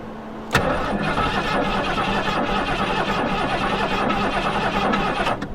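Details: 1973 Mustang Mach 1, sitting about 15+ years, cranked with a spark tester on a plug wire: steady starter churn about five seconds with no firing and no tester flash; no power reaching the ignition coil.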